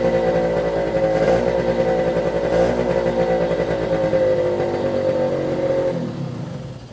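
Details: 1973 Suzuki TS50 50cc two-stroke at first start after a full restoration, started with one kick. It buzzes with a steady, crisp, even beat and then fades as it is shut down, sounding healthy; air in the oil pump lines needs bleeding.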